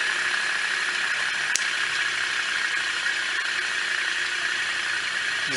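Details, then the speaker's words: Ceiling fan after repair of broken bearing (rolimã), bench-tested: smooth steady whir as it coasts down, no scraping or clicking; only normal fan noise remains. "nós vamos ter mais aqui barulho raspada e é só o barulho do ventilador mesmo"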